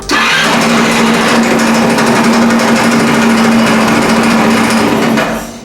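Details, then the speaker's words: 2016 Italika WS-150 single-cylinder motorcycle, oil at minimum on the dipstick, crankshaft being investigated: very loud, hard mechanical knocking at a steady fast rate over a buzzy engine; cause not yet found. "no habrán escuchado este motor soy muy muy fuerte la verdad que no me habían traído un motor que sonara tan duro"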